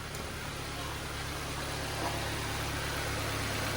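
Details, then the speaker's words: Nissan Sentra that would not start because there was no power to the ignition coils, now idling steadily and evenly with no misses; check engine light still on, overheating also reported. "Andandar na siya mga bossing. Nagkaroon na siya ng kuryente mga boss yung ating ignition coil ah."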